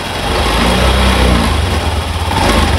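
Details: Honda Beat FI ESP scooter, likely 2019, with misfiring (brebet) and a weak battery, after electrical repair: picks up cleanly under throttle and holds an even, steady beat with no stumbling while charging voltage rises; normal revving.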